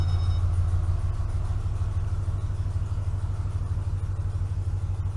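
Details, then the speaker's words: 2012 Ford F-250 6.2L gas V8, 274,767 miles, loud exhaust, cold idle with the gauge and oil light showing zero oil pressure: an even, deep rumble with no clicking or clattering. The engine has real oil pressure, and a faulty oil pressure sending unit is suspected. "Now look, I don't know how well it's picking it up, and this thing's got loud exhaust on it already, but there's no clicking, clattering, making noise. I mean, there's nothing. This motor has oil pressure."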